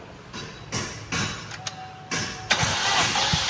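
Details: Chevrolet Trax LT that sat in storage, with spark plugs out for a compression test: short bursts of starter cranking, cut and restarted per cylinder, no firing; compression low or absent, valves suspected stuck by stale fuel.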